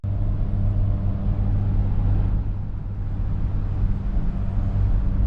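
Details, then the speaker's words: 2006 Ford Explorer Eddie Bauer at road speed: deep, steady airplane-like droning roar that new front hub bearings and heavier fluid didn't fix, traced to worn rear hub bearings. "I've been driving it, it's been doing good, but it makes that airplane sound when you're going down the road, like a whoom."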